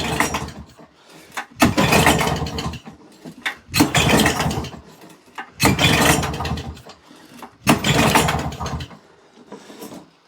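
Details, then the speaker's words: Old auction lawnmower pull-started at half choke: repeated bursts about every two seconds, each catching briefly and dying; it fires but won't keep running. The owner suspects a jet is missing from the carb, affecting fuel delivery. "She is definitely trying to go, isn't it? That is definitely trying to go, guys."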